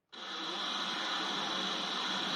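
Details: Konami Lethal Enforcers arcade PCB, sound section: steady, loud hiss and static from the speakers with no sound effects audible; suspected failure around Konami custom 054986A (dead capacitors, failed chip or traces underneath).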